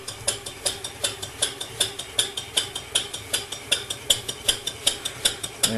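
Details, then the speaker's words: PM Research 6CI horizontal steam engine, 1.5-inch bore, 1/4 hp, running on compressed air under load from a homemade generator powering a 10 W lamp: crisp, even exhaust chuffs about 158 per minute; running healthily. "now we're making power turn it up a little bit you see we're making power there"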